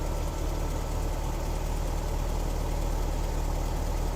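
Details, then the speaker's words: 1973 VW Squareback Type 3 air-cooled flat-four idling on first start-up after new points, plugs, injectors, starter, hoses, timing and valve adjustment; headlights, fan, hazards, wipers on, about 13 volts; low steady even idle, no stumble or knock; normal idle. "So I think we're doing pretty good charging-wise. Okay, good. So sounding pretty good."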